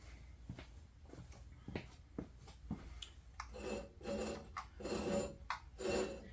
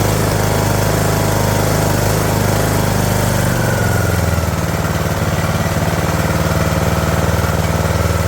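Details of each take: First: Craftsman LT2000 mower engine, partially disassembled and suspected of a broken rod, rolled over by hand: slow, uneven scraping and rasping; something rubbing near the coil or pulley is suspected, source unconfirmed. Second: Craftsman LT2000 mower with an engine feared to be junk, first start on choke with starting fluid; small single-cylinder settles into a steady, even low chug with a pitch shift midway, running smooth, no knocking.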